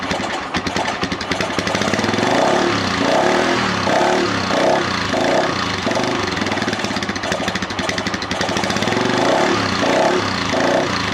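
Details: Lifan Earth Dragon 125 project bike, hot-wired, on its first start attempt: the small single-cylinder engine chugs unevenly with a rough, surging beat and a few faint pops while running on choke.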